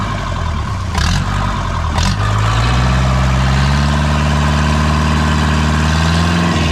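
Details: Second-hand diesel boat inboard engine, starter not engaging at first until swapped battery cables corrected: two starter clicks, then catches, revs briefly and settles into steady even idle; normal idle.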